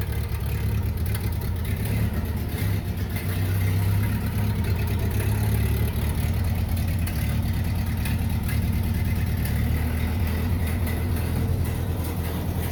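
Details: 1930 Ford Model A barn find running on a freshly installed used spare four-cylinder motor: steady, even low beat with a slight rise and fall in speed; engine runs normally.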